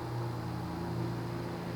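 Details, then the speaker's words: 1990s Quorum Gallery 60 60" ceiling fan, model 350605-33, 188x20mm motor, 11.5° blade pitch, possibly warped blades, on low speed, which runs rather fast: quiet hum with a subtle cyclic flux buzz swelling and fading about every second, audible in a quiet bedroom. "It has a slight cyclic flux buzz. It's subtle though. I mean, if you had a quiet bedroom, you'd hear it, but it's not as absurdly loud as some other cases."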